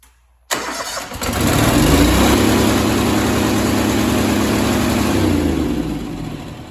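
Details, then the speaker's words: Honda GX630 that smoked another camshaft, damaged after a heavy three-week work period: it fires and climbs to a high, steady scream above normal speed. It is over-revving and the governor is suspected not to be working. "Sounded to me like the engine is over revving and the governor's not working."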